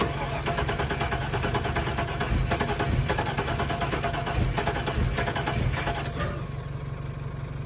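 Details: Truck being dug out and revived after sitting: steady fast cranking for several seconds that never catches, following an earlier hard backfire; cranks but won't start. Fuel pump heard priming, fuel pressure unknown; owner suspects a possibly frozen engine, unconfirmed.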